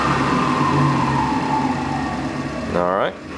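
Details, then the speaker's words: Delta Unisaw repulsion-induction bullet motor after adjusting brush ring position on commutator and spring tension: spins up quickly to even steady hum, no earlier growling; normal motor startup. "I think this sounds a little bit better gets up to speed very quickly there's none of that sort of growling that you were here in with those earlier videos"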